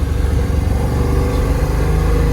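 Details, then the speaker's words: 1994 LT1 Corvette after engine rebuild, ZF manual with single-mass billet flywheel and unsprung clutch, on test drive in second gear with the shifter boot open: steady deep rumble, no whine, chatter or clunk; transmission smooth. "i mean everything is smooth about the engine and transmission right now"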